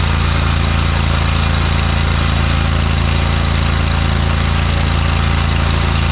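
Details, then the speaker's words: Long-stored John Deere 317 lawn tractor after new fuel line and filter, fuel leak still present (owner suspects cracked fuel pump): steady, even single-cylinder beat, no knocks or misses; runs pretty good, normal running. "but it did seem like it ran pretty good actually so that's a good sign"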